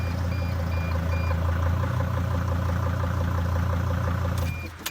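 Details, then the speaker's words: Mercedes Sprinter diesel van being diagnosed for a no-start, started with the mass airflow sensor disconnected; steady, smooth low diesel idle with no misses and a brief clunk at the end. Runs normally without the MAF and throws no code. "let's see if it even starts if it starts without uh mess airflow sensor I'll be surprised yeah it start it starts up without"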